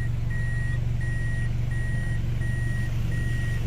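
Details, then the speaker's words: Toyota Altis 16-valve automatic in reverse with AC on: smooth steady low idle with periodic reversing beep, no shake, stumble or warning as before; normal after repair. "nakapag test drive na si siran reverse sein na bago pumasok pero hindi na si nagwarning yung unang video natin bumagsak talaga siya"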